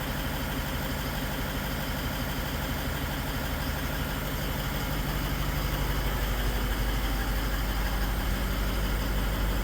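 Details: Toyota Land Cruiser 200 diesel idling, microphone moved around the engine: faint tapping about twice a second over the clatter, clearest at one spot; extraneous noise, source not yet pinned down.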